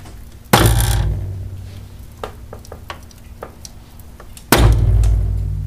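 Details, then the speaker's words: 2000 Chevy Venture minivan, driver's-side front strut with a failed upper bearing mount. Two deep, heavy clunks about four seconds apart as the front end is loaded, from the spring binding. "A lot of people describe, you know, I'm having a suspension problem and it's a thunking or it's a clicking or a banging or whatever."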